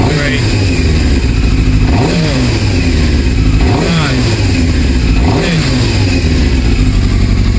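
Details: 1998 Yamaha Thundercat 600R (YZF600R) after new throttle cable fitted and adjusted: three crisp throttle blips, each rising smoothly and dropping straight back to a steady idle; engine sounds healthy and responsive.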